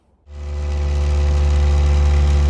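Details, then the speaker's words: K20-swapped Honda Jazz/Fit on cold start: a steady, noticeably high idle hum with rattles from the solid engine mounts, and it won't rev. Intake had no MAF sensor fitted and the ECU still needs one. "sorry for the noise as you can see it's hiding really high and uh so as you can see first of all pardon the rattles them solid engine M are no joke but uh it idles really really high I'm that was on cold start anyway but higher than you'd expect and it wouldn't rev"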